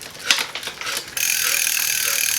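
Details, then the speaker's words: Ride1Up Core-5 e-bike, 7-speed 1x7 drivetrain in 7th gear, rear hub spun freely. Fast, even, crisp ratchet ticking with no grinding or skipping; healthy freewheel. "The hub sounds really good. Let me pedal it"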